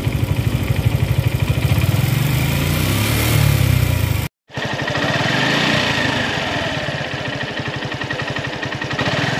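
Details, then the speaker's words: Suzuki Gixxer SF 155 single-cylinder, after dealer fixed tappet or cam chain rattle: steady single-cylinder thump, then smooth even run with no top-end rattle at 80–90 km/h, no longer strained; normal running. "Y ahorita lo llevo a 80 90 y el motor tranquilito no se escucha forzada"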